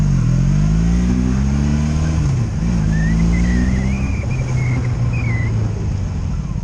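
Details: 2002 Honda Magna VF750C V4 on its first full test run after a rebuild, warmed up: steady exhaust drone rising smoothly with throttle, with no ignition cuts, misses or bucking. Normal running.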